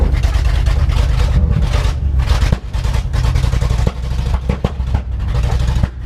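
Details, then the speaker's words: Loud truck at rough idle, ignition timing not yet set (a timing light is still needed): heavy uneven rumble with sharp gunshot-like pops every second or so. Owner says it's just cleaning up; backfiring, cause unconfirmed. "Dude, this thing is so fucking loud. It's crazy. Ow. It literally sounds like a gunshot every time. That's just it cleaning up."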